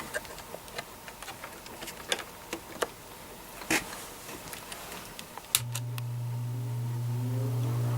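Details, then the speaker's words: Repaired spare plastic Marco motor with blade from vintage Lasko/Galaxy box fan starting on low speed (red wire): a few loose clicks, then steady low hum building as it comes up; the usual hum of these plastic motors; about 1 A, 80-82 W; normal. "It's got that nice motor hum that these plastic motors usually have."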